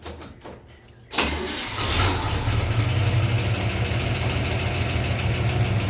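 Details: 1958 Corvette 283 (4.6 L) V8, four-barrel, two-speed Powerglide, rebuilt engine, after a 2-year AMSOIL 10W-30 Z-Rod oil change: quick crank catches at once and settles into a deep, steady idle with an even beat; normal start and idle.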